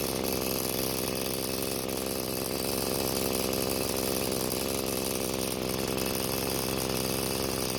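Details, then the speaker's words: Free curbside Bolens two-stroke string trimmer that wouldn't start, carb fuel screw being turned counterclockwise after clockwise killed it: steady rasping high buzz that never climbs higher; the fastest setting was never found, low top speed. "what i did was i turned the screw counterclockwise to find when the engine was running the fastest but i was never able to find it"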